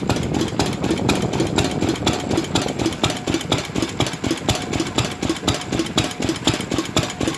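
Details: 4 hp R.A. Lister Jr type B engine, first run after complete teardown and rebuild: crisp even exhaust beats about two or three a second with steady mechanical clatter, no knocks. Runs smoothly; normal running.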